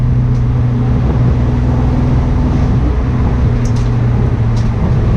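Steady low engine drone with an uneven, stumbling pulse underneath, no clean even beat; sounds like a cylinder misfiring. Cause suspected, not confirmed.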